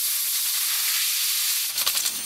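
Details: New air compressor with outlet pressure set near 40 psi, chuck pushed onto a tire valve stem: a steady high hiss of escaping air, then a fluttering, pulsing rush as the chuck seats and air finally flows into the tire after repeated failures.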